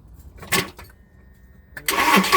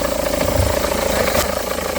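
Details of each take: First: 2009 Seat Leon with noise near crank pulley and oil leaks, after refitting a part: engine fires after short crank and settles into a smooth steady idle with no belt squeal or chirp; normal idle. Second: 2009 SEAT Leon with engine running: steady fast rhythmic hum and thrum in the belt area; A/C compressor pulley bolt thread stripped and not tightening, letting the pulley wobble.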